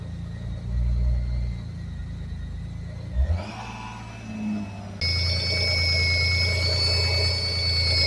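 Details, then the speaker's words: V6 engine started after timing belt change and 10 years standing, battery light on; idle with a thin high whine over the hum, louder and sharper as revs rise; owner suspects clutch, which stuck to the floor; cause unknown. "so Freunde nach dem zahnriem Wechsel 10 Jahre Stillstand und Problem starte ich doch einfach noch mal klingt nicht gut die Batterie leuchtet"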